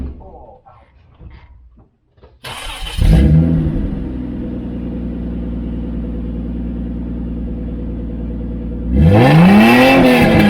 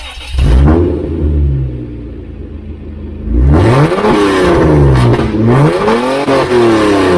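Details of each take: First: Toyota Land Cruiser with catalytic converters removed and a new muffler welded into the exhaust: engine catches, idles evenly, clean rev rises and falls smoothly; well muffled, down from 137.2 to 128.7 dB; normal exhaust note. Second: Toyota Land Cruiser with catalytic converters removed and a straight-through aftermarket muffler, revved in a shop: deep, booming, raspy blips measured at about 137 decibels; excessively loud exhaust.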